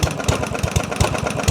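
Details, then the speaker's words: Yard-Man walk-behind mower, 139cc OHV single-cylinder, 22-inch cut, carburettor jets drilled out with a 3mm bit to get it running: dull thud on each firing at a very slow idle, about four a second, like a hammer inside; engine knock, cause unknown. ">> There's a little bit of knock. A >> little bit. >> I can feel each each fire. >> Sounds like there's a hammer hitting on the inside of the model."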